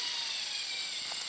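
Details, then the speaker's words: Axial Capra 1.9 4WS Unlimited RC crawler on dirt, Fusion SE 1200 motor, 14-tooth pinion, full throttle: steady high motor and gear whine, very noisy but no rough spots; normal healthy drivetrain. "Dans la vidéo, on l'entend, il est très bruyant."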